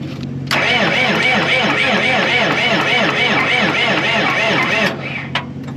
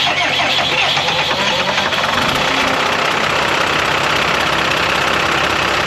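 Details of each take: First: Cummins 5.9 12-valve diesel motorhome, listed no-start, batteries freshly charged: steady cranking about four seconds with even compression pulses but no firing; no fuel, electric fuel shutoff solenoid too weak to lift lever, suspected bad unit. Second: Cummins 5.9 12-valve diesel pusher motorhome, bought as a non-runner, cranked on two deep-cycle golf cart batteries after the starting battery died: engine catches and settles into a steady, even diesel clatter with no misses; normal diesel running.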